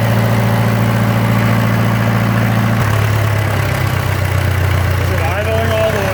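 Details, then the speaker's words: Around-1966/67 John Deere 400 tractor, first start in 20 years, choke kicking off, low throttle: low even idle around 800 rpm, beat slowing slightly partway through but staying smooth; normal idle. "yeah we will have to slap a tachometer onto it well it's idling that's pretty impressive I wouldn't have thought that"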